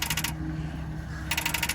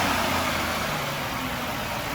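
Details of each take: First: 2007 Nissan Murano at auction, key turned: rapid machine-gun clicking about fifteen a second in short bursts with no cranking; starter not engaging, won't start. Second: 2006 Ford Freestyle at city auction, hood up, started right up on a jump box; steady even idle hum with no knocks, ticks or misses; sounds pretty good, healthy idle.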